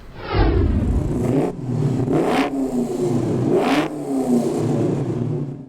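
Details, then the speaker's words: 1955 Ford Thunderbird with swapped 5.0 Coyote V8, dyno-tuned with adjusted cam timing and safe air-fuel curve: revs climb cleanly, drop back and pull smoothly again with no misses, knocks or rattles; runs and performs perfectly. "as a matter of fact the car runs and performs perfectly"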